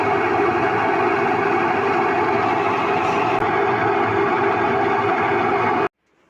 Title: Whirlpool washing machine Noise problem #trendingshorts #viralsorts #washingmachine